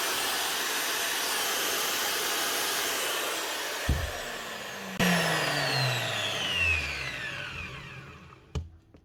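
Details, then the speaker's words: Hitachi G23SS grinder on 240 V after rewiring a plug that had run it at half speed, steady high whir at full speed and full power with no rattle, then clean wind-down; normal running at full speed. "what you want to hear on on Full Speed full power"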